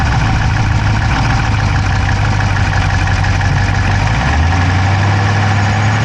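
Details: Dodge Charger Hemi V8 at idle, camera inside the engine bay on the driver's side: quick, light ticking keeping pace with engine speed; no smoke from the pipes, owner doubts a dropped valve, cause undetermined.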